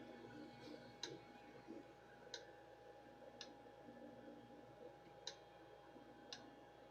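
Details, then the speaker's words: Creality CR-6 MAX 3D printer just unboxed and assembled: sharp ticks roughly once a second over a steady motor hum, an irregular knock somewhere in the moving parts; owner trying to isolate the source, cause unconfirmed. "y'all hear that knocking thank you trying to isolate where that sound's coming from"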